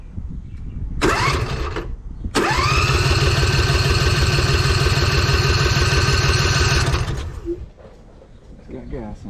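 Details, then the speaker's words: 2007 John Deere Z425 zero-turn mower, freshly installed replacement Briggs & Stratton engine (44S977-0032-G1), fresh oil, first start with no muffler fitted: catches after brief crank, loud steady even idle about three firings per second; normal engine start. "it's gonna be a little loud too because the muffler's not on yet"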